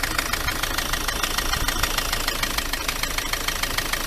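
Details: Ford Transit MK7 2.4 RWD diesel van at idle: sharp even knock about 200 a minute over steady idle; fluid, diesel or water, seen under the cable-tied injector; owner suspects the dual mass flywheel, source not pinned down.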